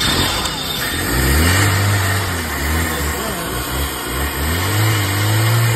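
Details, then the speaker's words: 1989 Honda Accord LX, 236,000 miles, five-speed, sat a couple of years, battery boosted: engine catches and revs in surges then sags, running only on starting fluid; fuel or fuel pump problem suspected. "as long as i'm feeding it starting fluid may have a fuel problem may have a fuel pump problem"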